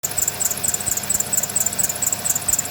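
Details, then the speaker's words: Honda Odyssey at idle with fairly new belt and pulleys: high shrill chirping about four times a second from the drive belt squealing after winter. "you hear the obvious noise from the drive belt. This is a Honda Odyssey."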